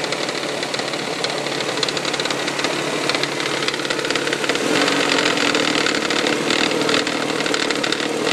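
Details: 1999 Toyota Sienna engine at start-up idle, after six NGK iridium plugs and an oil change: quick, fairly even tapping, about three per second, like something hitting the valve cover; also heard around 2300 rpm while driving; cause untraced.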